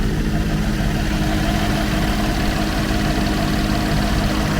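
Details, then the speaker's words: 2013 Chevy Equinox salvage rebuild, started on a jump pack with alternator still needing repair: smooth, steady low rumble at idle with no tapping, knocking or hunting; the engine sounds healthy. "Engine sounds pretty good, but we got a lot of things we got to hook up."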